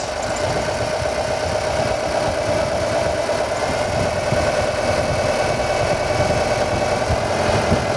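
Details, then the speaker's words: Car with a newly replaced hydraulic pump (BVH model) at idle after bleeding, fluid now clear, regulator valve shut: steady mid-pitched hum over a smooth idle, no knocks or grinding; pump building pressure normally. "Here we go. You can hear the pump working. And the car should now pump itself up."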